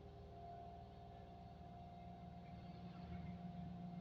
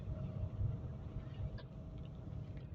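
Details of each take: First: Engine in neutral with handbrake held, no AC (AC makes it worse): idle revs stuck high, raised steady hum swelling slightly and won't drop; faulty idle speed control (ISC) valve, fixed by replacing ISC. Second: Car driving after idle speed control (ISC) valve replaced: soft, low, even rumble, quiet and smooth with no surging or hunting, no longer revving high; normal engine running.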